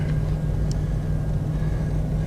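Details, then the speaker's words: 1992 Chevy Astro van after blower motor replacement: steady, low, even hum with no rattles, ticks or scraping; new blower runs smooth on low speed. "high and even a nice low speed there"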